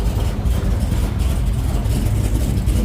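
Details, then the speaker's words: 1968 Dodge Charger, 512ci big-block with aluminum exhaust, restarted on first fire-up day: deep, even, beefy rumble at steady idle, no miss, knock or tick, oil pressure good, coolant about 125; normal idle. "Okay, let's start it again. That sounds amazing. Wow. It's alive."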